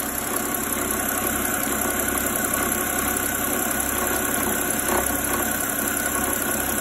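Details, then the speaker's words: 2008 BMW 328i E90 with N52 petrol engine idling: faint periodic uneven rattle from front belt area, belt bouncing; failing clutch in the alternator overrunning pulley, fixed by replacing the pulley. "Uh it's an overrun style pulley that has a clutch inside of it. And when the clutch starts to fail, you might see some um non-uniformity in the belt and just how the engine is actually spinning the belt."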